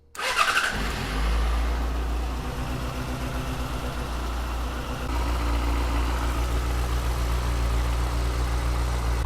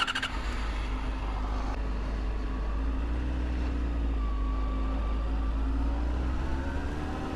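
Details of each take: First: 2007 Yamaha FZ6 started after swapping the ITB rack and injectors: lumpy idle with uneven beats and drops, still misfiring; the ITB swap didn't fix it. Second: 2007 Yamaha FZ6 four-cylinder after tracing the misfire to a failing ignition coil. Even, slightly high idle hum, left high from troubleshooting, with no misfire under 2,000 rpm; idles really smooth.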